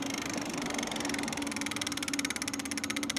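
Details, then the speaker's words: Lectric XP 750 W folding eBike, wheel spun after throttle release: steady mid-pitched hub motor hum keeps driving when it should cut and coast; owner suspects internal motor controller fault, before controller replacement. "And now you can hear it humming. And still trying to go. It shouldn't be going right now."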